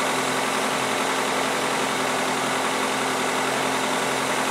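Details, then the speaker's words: 2003 Toyota Corolla 1.8L with code P0505, before the idle air control valve is replaced: smooth hum held at a fast steady idle of about 1200–1400 rpm, well above normal, caused by a faulty idle air control valve. "cuz right now it's adding at about 12 to, 1400 RPM which is way above what it should be"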